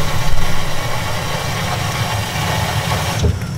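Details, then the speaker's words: Rinnai tankless heater running on Hugo-X1 pure sine wave battery backup during a simulated power failure: low, uneven rumble with a faint hum as the burner fires and holds, running normally. "I'll put everything back together once it's on but let's try it once more fire you can probably hear the tankless"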